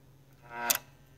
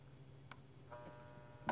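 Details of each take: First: Keurig K150P being diagnosed for a suspected faulty board: two crisp clicks about half a second apart as a solenoid valve snaps open then closed without hesitation; the solenoid is working properly. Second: Keurig K150P brewer with suspected faulty board: solenoid valve unplugged and replugged gives a steady buzzing hum with a few sharp clicks instead of closing cleanly; valve sticking from some hang-up inside.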